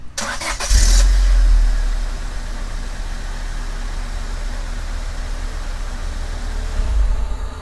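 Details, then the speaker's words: 1999 Honda Civic after a main relay repair for a no-start: short crank, then the engine catches at once and settles into a smooth, steady idle; starts normally. "if you did the main relay right and your main relay is the issue as to why you're not starting it should start up whenever you turn the key"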